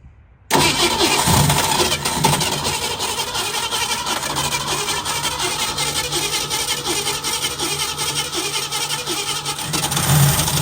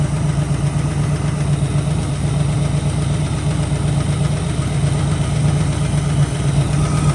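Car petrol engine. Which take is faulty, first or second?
first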